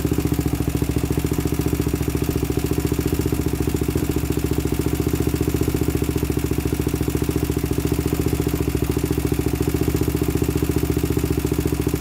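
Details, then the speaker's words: 2000 Honda 400EX quad with cheap eBay piston and cylinder, first start: fast, loud idle with light regular top-end tick; suspected slack timing chain or valves out of spec, adjustment planned. "i don't know what you guys think sounds kind of kind of weird like there's a tick in the top end"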